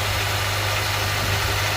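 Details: Honda Elysion K24Z4 after replacing all spark plugs, belts, pulley seal and front crankshaft seal: smooth, even idle with steady low hum, no knocks, misses or squeals, no oil leaks; normal idle.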